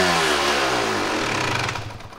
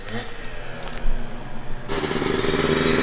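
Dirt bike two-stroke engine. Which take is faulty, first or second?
first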